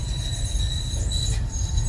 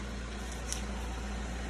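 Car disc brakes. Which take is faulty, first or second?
first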